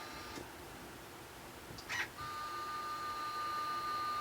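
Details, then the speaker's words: Stepper motors jogging under LinuxCNC with a TurboCNC-style configuration via printer port, at 120 inches per minute after a short beep: clean steady whine of even pitch, no stalls or rattles; smooth normal stepper jogging. "how nice it sounds, I think anyway. So that's 120 inches per minute."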